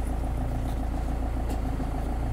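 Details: Car idling after muffler-junction exhaust leaks were sealed with J-B Weld ExtremeHeat metallic paste and fully cured. Steady, even idle pulse with no puffing or ticking; no leaks heard. Normal idle after repair.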